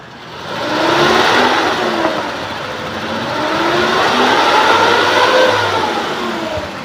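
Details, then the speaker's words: 2003 Suzuki Futura Realvan GRV small petrol engine revving up and easing back with an even pitch and no misses. The typical Futura "teng-teng" sound is still heard, and the exhaust shows no white smoke, which is normal. "Mesinnya oke ya, tetap ciri khas dari Futura Real Fun, ada teng-teng-teng-tengnya seperti ini masih kedengeran juga."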